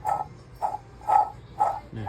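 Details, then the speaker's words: Water pump bearing broken on a Jeep WJ 4.0: squeaky chirps about twice a second, one per turn, with a dry rasp, louder at higher speed; a new pump turns silently with slight drag, so the pump will be replaced. "มาดูปั๊มน้ำนะครับลูกปืนแตกเสียงจะเวลาหมุนเร็วๆก็ดังนะครับจะดัง"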